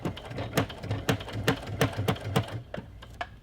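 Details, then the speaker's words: Sewing machine with a denim needle stitching Kraft-Tex tote bag handles: distinct clunk at each stitch, about two to three per second, then slowing to a stop; normal clunky sound from the longer, thicker needle. "I just want to point something out, that if this is your first time hearing and or sewing with a denim needle, because denim needles are a little bit longer and thicker, it's going to sound like your machine is clunky. So don't be scared, that's what it sounds like."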